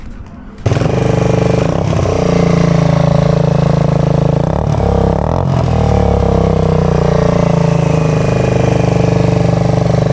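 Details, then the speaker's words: Rebuilt Suzuki GZ125 cafe racer/flat tracker with stainless exhaust, after nut-and-bolt rebuild: small single thumps at a steady, even idle with deep exhaust note and light throttle blips; running sweet, normal idle. "Running sweet, it's looking sweet."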